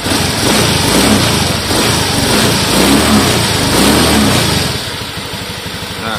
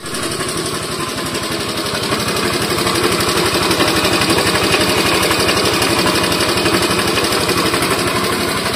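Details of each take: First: Honda Scoopy (donut) scooter after 130cc bore-up with Dickspeed racing camshaft, not yet mapped: quick revs rising and falling cleanly with a smooth, even note, far smoother than the very rough sound it arrived with; normal revving. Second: Honda Scoopy eSP scooter engine before teardown for a 130cc bore-up: fast harsh even clatter like a sewing machine, caused by a badly damaged, very wobbly camshaft.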